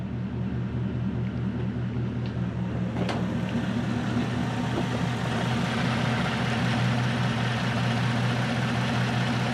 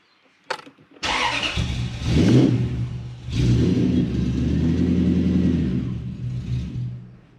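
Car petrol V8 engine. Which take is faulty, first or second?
second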